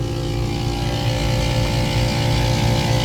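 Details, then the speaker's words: AC compressor on new contactor, 21 amps (another unit drew 60), voltage 209–210 V, 108°F outside: steady low hum with gritty uneven rumble, sounds worn out despite correct voltage. Cause suspected, not confirmed. "209, 210, 210. So we've got correct voltage. It just sounds like dirt."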